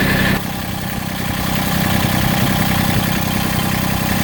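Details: Massey Ferguson GC1710 TLB sub-compact tractor diesel idling with an uneven, loping beat and irregular pulses, heavy vibration and power cut almost in half; owner suspects a cylinder misfiring or not firing, checked with temperature readings.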